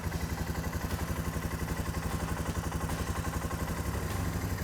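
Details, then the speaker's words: Suzuki King Quad 450 ATV after fluid service, first start after sitting a couple of weeks: starts instantly and settles into a steady, even single-cylinder idle thump with no knocks or misses, running healthy. "There it is. Starts like a charm. It's the best running bike I've ever had."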